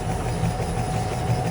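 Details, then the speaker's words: Car with strong suspension banging, no play found on the lift, tested on a suspension shaker: deep, rapid low thumping traced to a worn stabilizer link. "E eu, esse carro aqui, a gente colocou ele no elevador, >> e não apresentou folga nenhuma na suspensão. Olha só o barulho. Olha. >> P essa bioleta aqui, ó. >> Ó. É na bioleta, né?"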